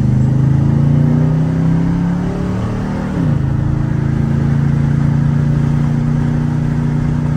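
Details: Cammed 4.8 Silverado V8 with Summit Racing cam and higher-stall torque converter, street tuned, driving warm at moderate throttle: deep even drone with smooth pitch sweep as revs change, no knocks or misses; healthy, pulls strong.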